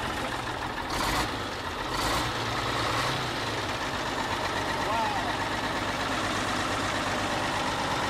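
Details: Old semi truck that sat in a farmer's field for years, running after fuel injection pump work: steady, even diesel idle with a deep low rumble, no knocks or misses, a few louder bursts early. Normal diesel running.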